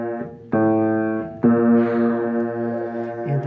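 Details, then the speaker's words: Steinway piano, D unison: the newly replaced string is deliberately tuned about 18 cents sharp since the new wire is expected to stretch flat; the sustained note wavers with a slow wah-wah beating against the old string, an out-of-tune unison. "I can't obviously leave it like that because it sounds very off this unison so I'm gonna play it for you so we can hear it"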